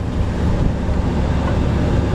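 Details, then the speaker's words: Bus ventilation blower just upgraded from a 95 CFM to a 500 CFM fresh-air unit in the inverter bay, test run: steady airy whoosh over low rumble, no rubbing or rattle; running normally. "there we go got the blinking thing and our fan is running let's turn it up all the way all right seems to work"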